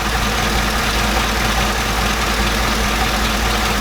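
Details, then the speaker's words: Chevrolet Silverado V8 back on its original line after a cheap eBay oil catch can install made it run poorly: steady, even idle with no hiss, stumble or misfire. Cause unknown; owner suspects the breather caused a vacuum leak. "Alright, well I got the old line back on and it's running fine, so I honestly have no idea what the hell is going on."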